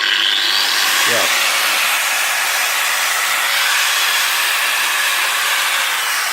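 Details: Makita 9565CVR 1400 W 125 mm variable-speed angle grinder after armature replacement (old armature sparked at commutator): steady high whir with even pitch, no rattles, scraping or surging; runs smoothly.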